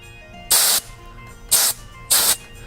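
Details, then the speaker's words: Specialized HP floor pump with Switch Hitter II head, unlocked, barely pressed onto valve: three short sharp hisses of escaping air, tire deflating; head must be jammed down to lock and build pressure, air leak at valve. "So what I learned is that when you push this thing on, you have to really jam it down. And once you jam it down on there, then it will lock in, and then the air pressure will come up on the pump."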